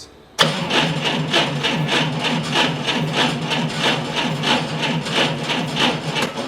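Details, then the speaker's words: Forklift, cranked by remote button with key off: engine turns slowly, about a hundred labouring compression beats a minute without firing; weak battery dropping below 9.6 V cranking, poor 12.3 V recovery. "a battery was a little lower than I'd like to see uh 9.6 is the number that you don't want to see to go below uh when cranking that is uh the bare minimum spec"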